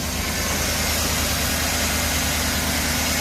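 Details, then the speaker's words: Truck with the old 5.3 engine, about 7,328 engine hours: loud, busy idle with a thin high belt chirp riding over it; belt needs replacing, smooth idler pulley looks worn, no valve train noise. "it's just a little loud it's got some belt chirp it does need a belt but no valve train noise knock on wood just the loudness of an engine"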